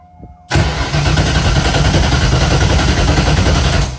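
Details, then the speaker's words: FD drift car, first start attempt after swapping in a new battery: starter churns steadily about three pulses a second for three seconds, engine never catches; distributor left unplugged, no spark, oil pressure present. "know what I forgot to plug the distributor back in well at least it has oil pressure at this point"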